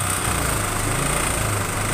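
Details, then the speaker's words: Honda Vario 125 FI scooter, radiator cap off: rough, uneven engine note with gurgling as compression spurts into the radiator coolant and circulation is poor, alongside white exhaust smoke; compression leaking into the cooling system. "ditarik radiator juga sirkulasinya kurang baik dalam arti nyembur kompresinya"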